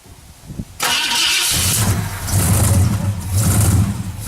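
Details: 1968 Ford Galaxie, carbureted, cold start at night with hood off, pumping the gas; starter cranks on and on with a steady low churn and uneven surges, engine never catches; hard cold start.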